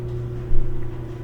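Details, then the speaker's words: GE electric dryer running empty: steady low motor hum, normal; with clothes it makes loud racket, likely worn front bearing, replaced with kit including idler wheel, glides, felts and belt. "that noise is normal but when you put clothes in it starts making a lot of racket so probably this part has worn out"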